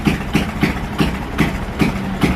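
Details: Motorcycle idling with the headlight on: uneven idle pulses about three a second, stumbling, cutting out and rapid backfire-like popping, won't settle.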